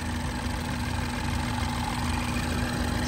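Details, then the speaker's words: 2012 Mini Cooper S idling with A/C running during a pressure and temperature check: the cooling fan runs on high with a strong steady rush of air, and the liquid-line high-side temperature keeps dropping; the fan sounds normal. "you can hear the fan if you could hear it in the background the fan is on high speed and you can see the high side temperature constantly dropping on the liquid line"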